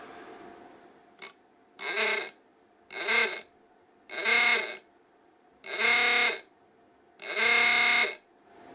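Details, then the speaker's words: Klaxon ahooga horn for a 1953 Chevy Model 3600 truck, bench-tested at about 5 volts via series resistors: five even rising-and-falling blasts about two seconds apart, full and clean; horn works fine on reduced voltage. "about 5 volts there, so that'll be fine. I'm trying to wonder if it works better one way than the other."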